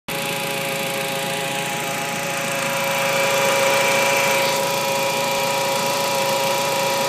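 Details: 1.8T engine at idle, with power steering fluid already checked and topped up: a steady high-pitched whine rises slightly with revs; source of the engine-bay whine still unknown.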